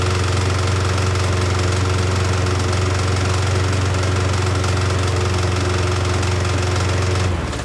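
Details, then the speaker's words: Nearly new Yardworks self-propelled mower, previously stuck engine freed by turning blade: starts but makes a constant loud harsh knocking racket and blows heavy smoke until cutting out; cause unconfirmed. "all right so it'll start now uh but as you hopefully heard in the video it makes a huge Racket and it's blowing a pile of smoke"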